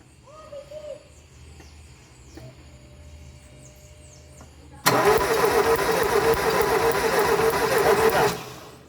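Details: 2000 Ford Fiesta Zetec Rocam cranks but won't start, history of plugs fouling with oil alternately, possibly worn rings; during spark plug test the starter spins steadily about 3.5 beats a second for several seconds without firing; spark confirmed at cylinder one.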